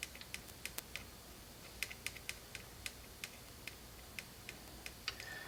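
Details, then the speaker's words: 1952 GM Guide Autronic-Eye vacuum-tube headlight dimmer, vibrator being tapped while powered: sparse, irregular light ticks never settling into a steady buzz; coil moves the reed but contacts aren't closing. "think the coil is moving the uh read now but the contacts aren't making contact yet to keep it running maybe just keep beating it maybe it'll start going huh"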